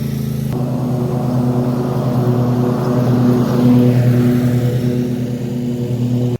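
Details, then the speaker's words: Toro TimeCutter mower, Kawasaki FR691V twin, warmed up after 10–15 minutes running: steady, even beat with no pops, skips or cut-outs; the earlier warm misfiring and backfiring under load is fixed. "okay I'm going to call that fixed um it's been running good I even run it more off camera and uh it's not not doing anymore"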